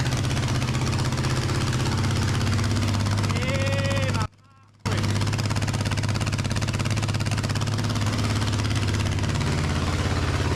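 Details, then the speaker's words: 37-year-old Suzuki Intruder 1400 V-twin, first start in over 5 years after repeated carburetor rebuilds: loud, lumpy running, revving very high and unevenly with a brief cut. "I did achieve my task. The engine did fire up. Um, it was quite loud and the it was revving very high, but after that, I I started it the next day."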